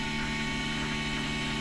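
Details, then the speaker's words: 1969 Camaro with new return-style fuel system, fuel pressure set to about six; low steady electric hum with no whine or surging; pump runs quietly and normally. "actually the pump's not that loud I'll come back here and check it out it's not too bad you won't even hear it was running"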